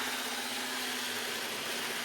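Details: Old Graham Farish N gauge chassis running a class 323 model on DC: high hissy buzz over a steady mid hum, loud for such a small motor; noisy running, hoped to quieten after servicing.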